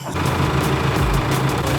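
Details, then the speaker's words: VL Commodore quad-turbo RB30, hurt: loud, lumpy idle with an uneven, stumbling low beat and irregular thumps; running rough before the rev limiter is raised to deliberately throw a rod. "the motor is hurt it won't really run but I'm going to try fire it up"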